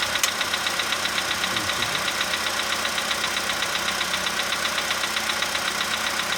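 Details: 2015 VW Polo sedan cold start, engine at +5°C, outside −2.5°C: sharp even tick a bit over once per second over steady idle; owner unsure, suspects cold valve or hydraulic lifter.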